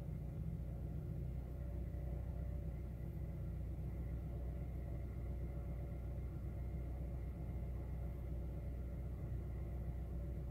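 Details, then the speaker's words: 2008 Honda Fit after replacing all four NGK Iridium spark plugs for random misfire codes on cylinders 2, 3 and 4: low, uneven idle rumble with irregular stumbles; still misfiring, cause not yet found. "see if this works fingers crossed still misfiring sounds like"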